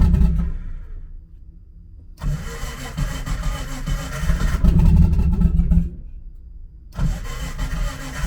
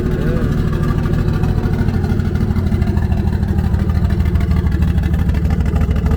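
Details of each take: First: Nissan S13 on E85 fuel, started for the first time in a while on jack stands; fuel pump heard, then two long uneven crank bursts with rough surging catches and lumpy revving before it runs: hard E85 cold start. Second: Nissan S13 on E85, on jack stands, just after a hard cold start: low, steady idle around 700–800 rpm with an even firing beat and no knocks or misses. Fuel pressure, oil pressure and temps all good; engine sounds healthy.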